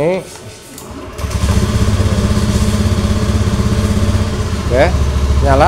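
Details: Honda Beat FI (digital) scooter with intermittent hard starting and stalling, run with the side-stand switch bypassed: it fires up and settles into a steady putter with a couple of throttle blips, no stumbling or cutting out, running normally.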